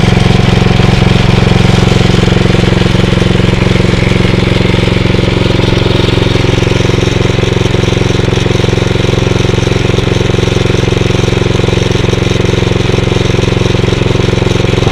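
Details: Atco Royale B24E cylinder mower single-cylinder after carb work, may still need choke under load: steady beat about 220 a minute; revs sag briefly as the drive engages then recover cleanly; running healthy.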